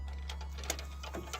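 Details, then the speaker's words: Range Rover Evoque four-cylinder diesel with no power that could not drive onto the recovery truck, heard at the turbo intake side on start-up: a deep idle drone with uneven sharp clicks and rattles from a collapsed turbocharger. "so that there is the sound of the turbo collapsed so that's why I was getting up off"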